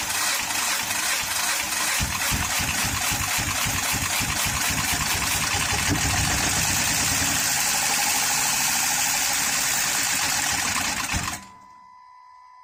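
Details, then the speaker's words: 2013 Honda Pilot J35 V6 after timing belt slipped and stalled while driving: harsh uneven running with fast irregular chuffing over clatter before cutting out; valves likely bent, no compression, possibly also flooded cylinders. "I would say it sounded like it was flooded originally when I was starting up anyway, because cylinders can get washed out."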